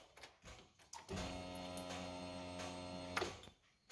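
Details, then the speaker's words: Lada Niva after fuel pump replacement, old filter clogged: steady, even electric hum of about two seconds at key-on, then stopping cleanly; fuel pump priming normally, no leaks. "I don't know if you can hear it on camera, but you can hear some sort of humming. And that's the fuel pump priming the fuel."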